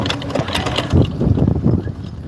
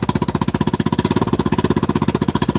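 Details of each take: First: Generator that blew up mid-use: each pull spins over fast and light with an even whir and no compression stroke resistance; engine has lost compression. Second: Vespa Super Sport scooter, 159 cc engine, idling: quick, even putter with steady rhythm and no misses or knocks. Normal idle.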